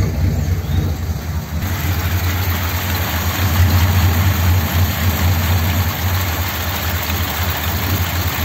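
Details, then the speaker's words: 1957 Ford Thunderbird, original carburetor, flooding stopped by plugging a hole, damper removed, plugs fouled: uneven, loose idle of about four pulses a second that keeps skipping. Misfire at idle, fouled plugs suspected. "it's probably still got problems with the plugs hear it can you hear it hitting or missing"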